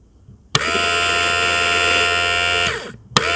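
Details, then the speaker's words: Audi A4 diesel in-tank fuel sender pump (also fits VW Golf/Passat, Skoda Fabia, Audi A3), removed and bench-tested on a fused link wire with microphone beside it: steady, clean high buzz, no crackle or dropout, didn't stop; healthy pump. "right then as you could hear then my pumps sounds lovely so that's exactly what you want to listen for that's a good pump it's quite clear there's no crackles it didn't stop"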